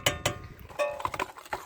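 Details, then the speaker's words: Ford Focus 2 rear ATE brake caliper rattle over bumps: sharp, irregular metallic clacks in short bursts; caused by a worn anti-rattle clip holding the caliper. "также первые 3 ситуация и проблема одна то что на кочках на неровностях гремит суппорт"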